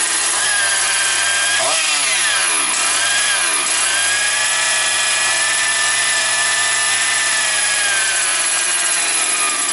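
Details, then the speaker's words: Motor Sich 270 chainsaw just started after priming, fifth pull, half choke, top cover off: crisp high-pitched two-stroke buzz, steady, a couple of quick revs dropping back cleanly; runs perfectly, normal running. "Слухайте, працює ідеально. Я ще не газовував."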